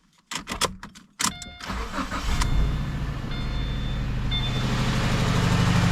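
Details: 2013 Subaru Impreza, first start after an engine swap (the original engine had a timing failure). Brief crank, then a lumpy, stumbling idle with a massive misfire and heavy smoke; owner suspects it is burning oil.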